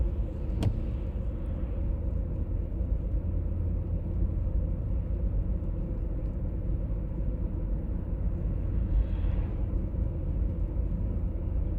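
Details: 1996 BMW E39 523i automatic (pre-facelift): steady deep droning hum under road rumble while cruising, heard at 50–60 and 70–80 km/h, no knocks; source not pinned down.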